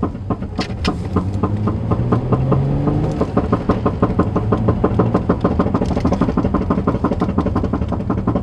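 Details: Infiniti G35, front driver side: rapid uneven metallic ticking rattle about three a second over low engine rumble; something loose up front, source not pinned down.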